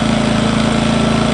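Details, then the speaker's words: Engel 2500W inverter generator, first start on 91-octane unleaded, no load, eco throttle on: smooth even low hum, steady beat, no knocks or surges, quieter than expected, normal idle. "that's pretty impressive you wouldn't want to have it outside your Caravan going all night but you could that's nowhere near as loud as what I was expecting which is a good thing isn't it"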